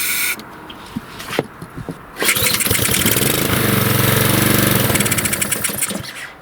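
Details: Lawnmower that won't start: several sharp pull-cord tugs, then a spell of uneven popping that fades out; never settles into a steady run.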